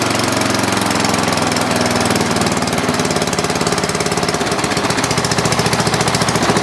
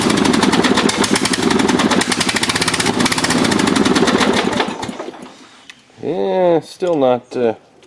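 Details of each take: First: Dynamark riding lawn mower after the carburetor was cleaned of green gunk: the small engine fires up and runs a steady, even putt-putt at constant speed with no misses or knocks; normal running. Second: Dynamark riding lawn mower, tried after a new carburetor gasket and fresh gas, carburetor not yet removed: small single-cylinder engine chugs unevenly about five seconds then dies; dirty carburetor starving it.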